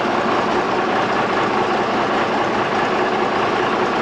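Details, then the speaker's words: Freightliner truck engine first run after rebuild: steady, even idle with continuous rushing mid-range noise and no knocks or misses, smoking from assembly oil burning off and clearing; normal idle. "But it sounds decent. Sure, once we run it for a little bit, it won't smoke at all."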